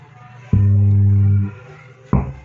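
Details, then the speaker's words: Active subwoofer at power-on: loud deep buzz for about a second, then a thump, with the speaker cone pulled in; caused by a faulty input op-amp putting DC on the output. "Hi, the speaker leaf of one fan is pulled in and a buzzing sound appears."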